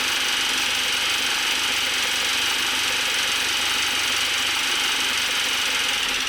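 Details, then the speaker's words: Audi 1.8T after an engine swap and timing belt work: constant fast metallic clicking and clatter over harsh running with heavy smoke; cause not yet known. "it's also making some really odd sounds other than just like clicking right like it sounds like"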